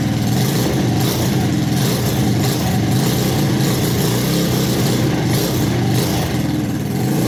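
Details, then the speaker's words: Custom Icebear Maddog scooter with 171 big bore kit, upgraded clutch/variator and custom Coffman exhaust, just revived after long sitting with starting fluid; runs but revs hang and bog, poor revving attributed to air filter being off (suspected). "yeah she doesn't want to rib right because we don't have the air filter on there but he's running"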